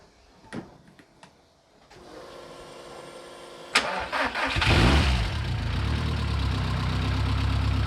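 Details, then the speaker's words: Newly fitted Badger 5 2.0L (2008cc) stroker race engine with a G25-550 turbo, first start with some throttle held: a few cranks, then it catches and settles into a steady, slightly lean idle. This is considered acceptable; the bigger displacement likely needs more fuel. "It's slightly too lean on idle, which is fine. Bigger displacements, it does probably need a bit more fuel, but it runs."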